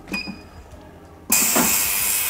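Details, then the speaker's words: Ultrasonic cleaner with cleaning chemical running on automatic transmission valve body parts: quiet, then a sudden steady loud sizzling cavitation hiss that holds even, as the sound waves scrub the components; normal operation. "Nah, yang bener memang semuanya akan mengeluarkan suara begini. Masuk ke audio pasti jelek banget suaranya, makanya gua mundur dulu untuk ngasih penjelasan."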